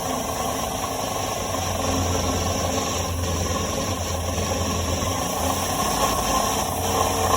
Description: Hearing a constant rattle at the elevated rpms... thought I might have heard some intermittent knocking too at times.